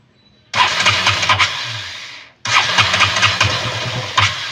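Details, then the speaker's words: KTM Duke 200 starts with a burst, runs unevenly and dies within seconds at idle. It also loses power when ridden. A leaking fuel pump hose is starving the engine. "Once na papaandarin natin ito yung mangy yan ayan hindi siya nagtutuloy yung ah pag-andar ng motor namamatay siya ayan ayan namamatay"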